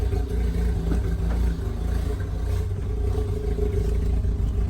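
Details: 2004 Mazda RX-8 rotary engine idling after battery replacement, fixed by idle reset (key position two, pumping brakes): steady, even low rotary hum with no hunting, stumbles or surges; normal idle.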